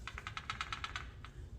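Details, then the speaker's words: 2009 Acura RDX during valve adjustment, cylinder 2, engine off, rocker rocked by hand (spec intake 0.22, exhaust 0.30 ±0.01): light, crisp metallic clicks with the correct looseness. The closest to spec so far, where others were too tight. Normal valve lash. "That kind of a looseness, that's actually what you're supposed to hear. So that one's actually probably been the closest one so far."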